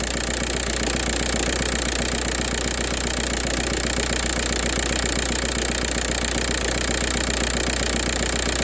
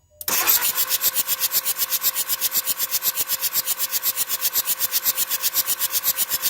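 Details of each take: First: 2004 VW Jetta TDI diesel with a morning no-start problem unless WD-40 is used: steady, even idle clatter at about two and a half beats a second over a low hum, running normally once started. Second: 2004 Jetta TDI diesel, cold morning no-start unless WD-40 is used; starter churns in fast, even pulses for several seconds without firing: hard cold start with extended cranking.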